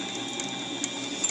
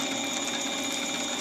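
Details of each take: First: Drilling a 7/8-14 grade bolt with a bit ground to a bullet point: thin steady squeal over light cutting chatter as the bit hits a hard spot in the steel. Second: Reground drill bit cutting a 9mm bullet point-forming swaging die in steel: steady even drilling hum with light high-pitched ticking, thin chips peeling cleanly, one side cutting slightly more than the other.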